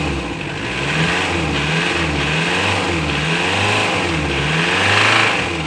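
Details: Ford Transit 2.4 knocks, misfires and stalls: uneven, lumpy running with a rough low pulse that breaks rhythm and rises and falls with revs; cause unclear.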